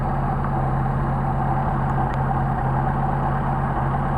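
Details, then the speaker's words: Mercedes 190SL dual Solex carburetors on a test engine, just started and warming up: steady, even hum sitting noticeably high with no dip or hunting; idle too high, possibly linkage, not confirmed. "Get you warmed up, see what we got. Now already we got too high of an idle."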